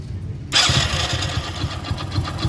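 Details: Hero HF Deluxe motorcycle, about 80,000 km though meter reads 43,000: engine catches after half a second, then a quick, steady low knock rides the idle; worn crank, rod bearing knock, engine to be rebuilt.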